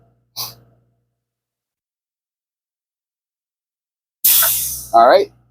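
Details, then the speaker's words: School bus on pre-trip, engine idling about 1200 rpm while the air tanks fill. The governor cuts out the compressor with a sharp sneeze-like burst of air that fades in about half a second, meaning the tanks are full. "You'll know they filled completely when you hear, when the compressor, the governor turns off the compressor, it makes a sound. Sounds kind of like a sneeze."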